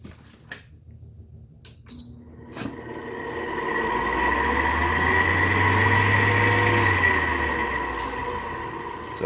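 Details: 10k BTU GE window air conditioner, two to three years used, starting up with a steady high-pitched squeal over the fan rush: dry, worn fan-motor bearing, replaced with a Nachi 608-2NSE bearing.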